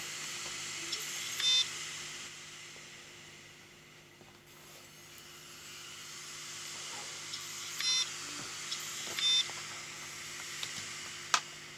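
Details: Seagate Barracuda LP ST2000DL03, failed after 4–5 years with dusty filter; swapped board and heads from donor, still fails: short high-pitched beep bursts every few seconds over quiet hiss, heads moving back and forth, no spin-up.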